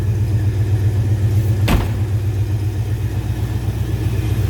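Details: 1957 Ford Fairlane Ranch Wagon with 390 V8 idling as the hood is opened: deep, steady burble at an even beat with one sharp clunk from the hood midway; smooth, normal idle.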